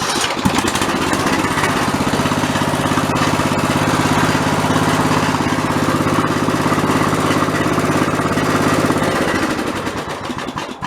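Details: Old OHV Briggs single-cylinder on White LT1300 mower, repaired after a pop and clang failure, valves readjusted, fresh oil and filter: steady even putter, no knock or miss, then stops; normal idle.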